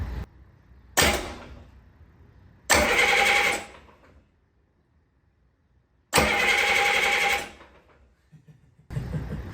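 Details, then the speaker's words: 1972 Caterpillar 3306 10.5L straight-six diesel from a 977L track loader, first cranking after a full rebuild on 24 V: heavy, even cranking bursts with no grinding or slipping show strong compression. No oil pressure yet. "man that sucker's got some compression wow"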